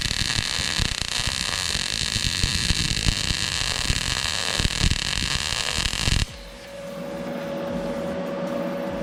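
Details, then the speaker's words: YESWELDER MIG-205DS, .030 wire, argon/CO2 on 1/8" plate, inductance set to -10: a harsh, uneven crackle with scattered sharp pops for about six seconds, a spattery MIG arc from too-low inductance. "So that's at a -10. Not super clean. We've even got some little bits there. Not real clean, not real happy with it though."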